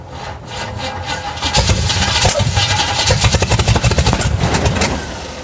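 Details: 350 V8 in a 1937 Dodge Brothers, first start: uneven cranking-speed running with irregular sharp pops spitting back, backfiring through the carburetor; timing unverified, battery going dead, cause unconfirmed.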